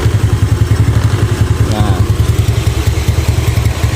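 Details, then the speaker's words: Yamaha Nouvo carbureted scooter (complaint: hard cold starts in the morning, weak low-end power) after re-adjusting tight valve clearance: steady low thumping idle drops straight back after a blip, with no hang or hunting; normal throttle return. "Ya normal ya teman-teman bisa denger ya dia balikannya juga normal langsung turun di sini kita kecilin lagi gasnya"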